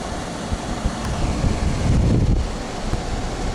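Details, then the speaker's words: Window AC unit after cleaning and bleaching, reinstalled in the window, reading 72 degrees: even, steady rushing airflow with a low rumble and no rattles or squeals; blowing cool normally. "It's working, 72, nice and cool. Probably gonna take me a while to cool down my living room because that's the only AC I have in here."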